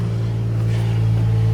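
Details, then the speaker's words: 2007 Isuzu Ascender after repair: it threw O2 heater, mass airflow, throttle actuator and ignition switch codes and barely ran; relay installed, 12 V restored at the MAF, codes cleared. Now smooth, even idle with steady pitch, no misses. "She's running a heck of a lot better, man. This thing would barely run before."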